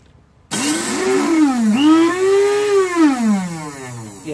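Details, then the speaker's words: Old Craftsman 5 hp Tecumseh snowblower, electric start tried after carburetor float repair: starter whine rises and sags for seconds with no firing, freewheeling and not catching the flywheel gear; cause unknown, starter to be taken apart. "still not catching on to the gear I don't know why then I have to take that apart too"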